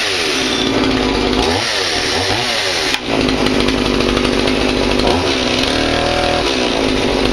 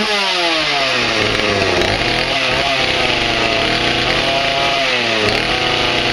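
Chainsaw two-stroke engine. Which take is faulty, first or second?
first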